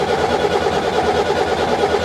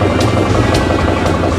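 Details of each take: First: Four-injector diesel just after bleeding air from fuel lines and injectors: thumps along unevenly with a stumbling beat; residual air in fuel, expected to run rough 30-40 seconds then clear up. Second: Four-injector diesel just after bleeding the fuel lines and injectors: a firm, even beat under throttle with no misses or stumbles. It runs smoothly with little air left in the system.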